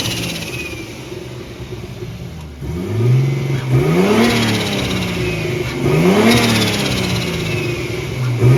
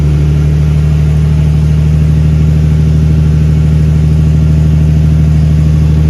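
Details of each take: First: Big-turbo Nissan R32 Skyline on an untuned, self-adjusted basemap, warming up, stationary free revs: three revs climb after an initial stumble, crackles and pops on overrun; hesitation and popping from the untuned map. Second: Big-turbo Nissan R32 Skyline on third start, running a self-adjusted basemap, not yet tuned, in neutral after chasing coolant and power-steering leaks: deep, even idle with steady low drone, no knocks, misses or hunting; AFR slightly rich, oil pressure 58; normal idle.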